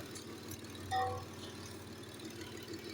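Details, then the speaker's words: Engine that had a P0300 random/multiple cylinder misfire code, idling after repair: smooth, even idle with a steady low hum and no stumbles or skips; it sounds healthy. "ودي الازهره بعد ما اتعدلت بفضل الله حرك ما شاء الله ثابت"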